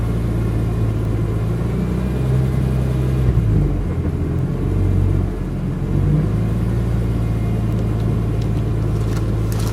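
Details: BMW E46 M3, warm engine (oil near 200°), after new coils, plugs, injectors, O2 sensors and cat-back, compression fine: deep rumble at low rpm that sags and stumbles unevenly; misfire/knock with power loss.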